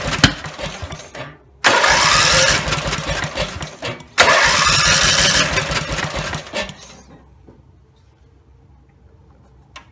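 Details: Rebuilt Briggs and Stratton 17HP (carb rebuilt, plugs, sump, oil slinger, gaskets replaced, valves reseated) catches and roars at full throttle in two bursts, then dies as revs drop; won't idle; owner suspects the throttle linkage lever isn't resting on its screw.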